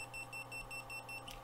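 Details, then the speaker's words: 1981 Minolta Hi-Matic AF2 film camera: three quick, high, evenly spaced beeps warning that autofocus cannot focus because it is not pointed at anything. "you got three beeps. It's out of focus because I'm not pointing at anything."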